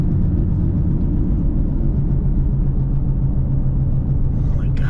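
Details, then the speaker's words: 2005 Pontiac GTO while driving: deep constant drone under road noise that goes quiet when turning left; worn right-side wheel bearing roar. "see it gets quiet when i turn that's the wheel bearing see if I go left right if I turn left it gets quiet"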